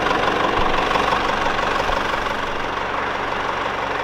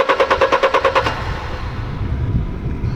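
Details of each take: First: Mercedes-Benz E-Class W210 220 CDI diesel, fully warm after a roughly 40 km test drive: even, steady idle with no stalling; the waveform is fine and the car is considered fixed. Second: Mercedes-Benz E-Class W210 220 CDI diesel with a crank-no-start after a warm-up stall; codes P1354-016/032 (no crankshaft signal). Fast, even cranking pulses, no firing. The scope shows a totally dead crankshaft sensor signal, so the sensor is faulty.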